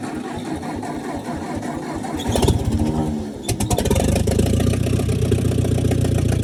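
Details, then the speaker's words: Old Ford half-track tractor that sat in a field five years, first start after tapping the starter: cranks, coughs, catches into raw, loud popping exhaust bark; no exhaust manifold fitted. "Wow, that almost sounds like that it's just straight off the manifold. Or, you know, there is no manifold."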